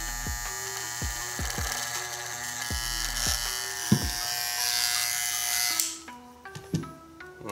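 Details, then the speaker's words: Hair clipper during zero-gap blade adjustment: buzzing with a harsh, uneven rattle over hum and background music; something inside sounds loose, owner plans to tighten everything. "so now I'm going to tighten everything cuz something is rattling and I don't like it"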